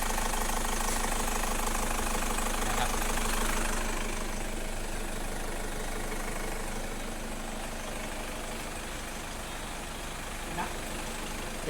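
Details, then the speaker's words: Engine after front pulley (no.10) noise checked and new belt fitted: even, steady idle with no squeal, chirp or scraping from the front of the engine. Normal idle after repair. "เตรียมสตาร์ทนะครับเสียงปกติแล้วนะ"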